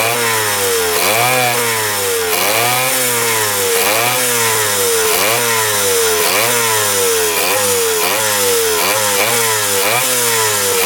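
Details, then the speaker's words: 1977 Kawasaki KE100 two-stroke enduro, first run in over 10 years: surges up and back down about once a second, won't hold idle even with throttle stop screwed fully in; air screw turned in helped, gas cap vent suspected. "The throttle here is tapped out completely all the way in and it still doesn't want to idle."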